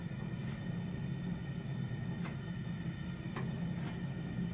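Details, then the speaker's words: Zhukovsky gas heating boiler made in 1997: light grunting rumble from the gas burner and unstable combustion, unchanged when the damper is closed; it appears as gas is added. Cause unclear. "Но вот я допустим сейчас слышу какое-то такое легкое похрюкивание то есть шум горелки газа и шум какой-то нестабильности горения"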